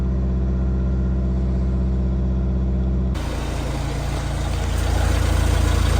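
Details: Vauxhall Vivaro B 1.6 CDTi R9M diesel van after full filter service including fuel filter, started and self-primed: steady, even idle, no stumble, then smooth rise when revved; normal idle.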